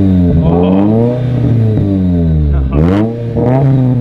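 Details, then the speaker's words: Mazda Miata running again after a roughly $2–3 fix and a larger, heavier replacement battery: sharp throttle blips, revs climbing and falling cleanly back to a steady idle with no knocks or misses; normal, healthy engine revving. "revs I just that sounds so good oh I miss this car so much"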